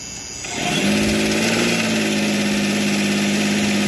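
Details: Philtech V12 model aircraft engine, Australian-built 108 cc liquid-cooled two-stroke glow engine with miniature radiator: cranks briefly, catches, then settles into a smooth, steady, even idle with no misses or knocks while warming up; normal idle.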